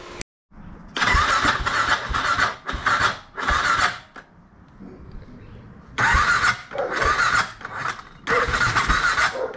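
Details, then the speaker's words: BMW F650 single engine with suspected blown head gasket, run over 10 minutes on head gasket sealer, then died: harsh cranking with squealing whirr stopping dead, no start; owner suspects hydrolock, but the spark plug check showed no water. "again so that sound where it just stops that is I think hydrolock"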